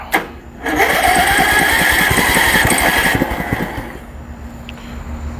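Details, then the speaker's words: Riding mower that was a no-start, running after jumpering a ground to the fourth post of a wrong four-post solenoid: fires up loud but uneven with irregular stumbling pulses, then fades; rough running, cause unknown. "Well, it was a no start. No, nobody said anything about it actually running well."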